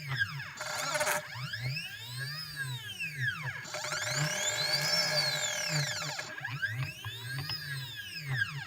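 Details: CNC machine steppers, drivers set to 0.3 Vref with potentiometers at max: a whining, singing tone with a gritty edge sweeps up and down as the axes speed up and slow down; noisy stepper motors.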